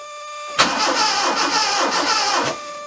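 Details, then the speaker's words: Proton 1.3 GL not started for 2 years, fuel stabilizer added, started with a jump pack: quick start, then about two seconds of lumpy, uneven chuffing running on two cylinders before it cuts; misfire. "Yes, it's going to run on two cylinders. We know that."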